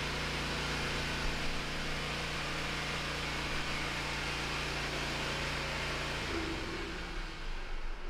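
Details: Hustler Raptor SD zero-turn mower after fixing the faulty seat switch that killed the engine: even, steady engine drone with no misses or knocks, winding down smoothly at shutoff; running healthy again.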